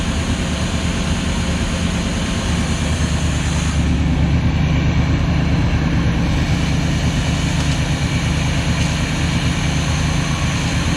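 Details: Luhrs 28 boat inboard engine after a carburetor rebuild: steady, even low drone holding constant speed with no stumbles, surging or misfires; running normally.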